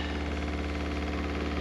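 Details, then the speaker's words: Used motorhome water system: smooth, even low electric hum from the pump drawing from the fresh water tank through the filter to fill the water heater with no tap open; pump healthy, normal priming. "people start worrying there when they do that because they'll think where's that water going and it's actually filling the water heater so even though we haven't got a tap turned on you'll still hear that water pumps looking good kev"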